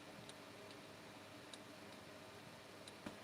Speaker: you want that clicking sound to just just barely, just as soon as you start to crack the throttle, you want to hear that click.